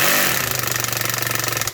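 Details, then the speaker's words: Stanley Fatmax drill in screw torque setting at slow speed with the chuck held: fast, even ratcheting clicks over a low motor hum as the torque clutch slips at its set limit (normal). "As you can hear, that clicking noise is the clutch slipping. So only put your screw into the workpiece up to that depth."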